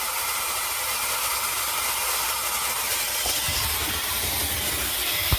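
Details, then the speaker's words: Engine off, exhaust system pressurised by a shop vac into the tailpipe (dual exhaust, one side plugged with silicone plug): steady airy hiss of air escaping from a massive exhaust manifold leak, found with soapy water. "you can obviously see right there is just a massive Le now you can inspect it without even having to start it up and get the exhaust all hot"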